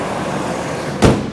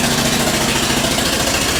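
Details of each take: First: Ford Triton with aluminum heads, after repairing a blown-out spark plug thread with an insert, new plug and coil: even steady idle, popping noise gone, one thump partway. Normal idle. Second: Ford Triton with aluminum heads, engine running: loud, rapid, sharp popping racket at about two pops a second from a spark plug blown out of its stripped threads. To be repaired with a 14x1.25 mm thread insert, new plug and coil.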